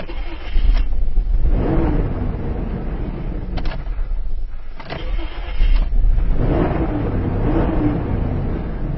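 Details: Isuzu Rodeo with cranking no-start after a new fuel pump, caused by faulty, pinched fuel-pump wiring near suspension; after wiring repair, short crank then prompt catch into a steady, even run; normal start.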